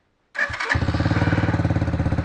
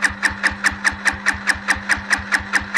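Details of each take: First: Chinese quad after repairs, with a leaking hose still to replace: it catches within a couple of cranks and settles into a steady, even low putter; a healthy start, though the idle speed is a little low and needs tuning. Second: Chinese quad with lights humming, a faulty ignition switch and a misbehaving starter clutch: the starter whirs steadily with even compression pulses for eleven seconds and never catches; lean mixture from a cracked intake boot, fuel level to be raised.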